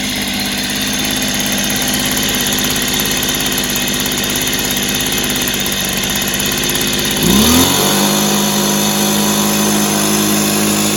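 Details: Echo PB265 ESLT backpack blower after replacing noisy crank bearings, started on choke: engine settles to a steady even buzz, clean unwavering note, no bearing rumble, much quieter than before; normal running.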